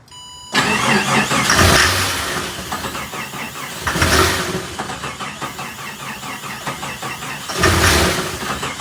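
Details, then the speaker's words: Jeep Comanche MJ, first start attempt on starter fluid after sitting: three cranking bursts that catch briefly and die, with a loose rattle like beads dropped in a jar; bottom end suspect, cause unknown. "all right so we are hearing it fire over but unfortunately we can't get it to stay running on the starter fluid"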